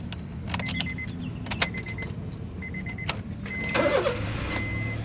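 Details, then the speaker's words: 2015 Honda Brio 1.2 E CKD automatic, 23,000 km, first owner, oil and coolant checked before starting: a short crank over dash chimes, it starts instantly, then settles into a quiet, smooth idle. Normal start. "Nah, untuk mobil yang bagus itu nyalanya langsung jreng ya."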